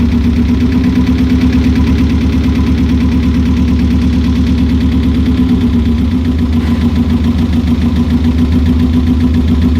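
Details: Subaru GC8 boxer engine at idle: low lumpy idle with uneven beat and periodic stumbles, misfiring.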